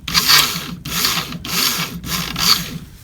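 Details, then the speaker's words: 2003 Ford Crown Victoria fuel pump removed after a cold-weather no-start, run on the bench: harsh, gritty scraping in four rough bursts instead of a clean hum; pump motor is worn out, replaced. "you hear that you hear all that scraping that motor is shot that motor is shot"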